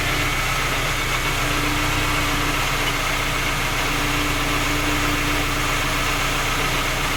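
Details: Skoda Octavia A5 facelift 1.6 MPI, cold engine at idle: quick, light ticking knock roughly four per second over the engine note; three repairs failed to find the cause, knock persists.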